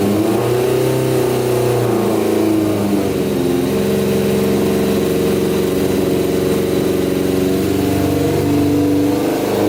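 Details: Custom Yamaha Banshee with Suzuki Katana 600cc engine, before Stage 4 rejet, pod filters on: revs rise and sag unevenly, wavering and stumbling; bogs rich with hand over carburetor, lean with filters off, mixture off.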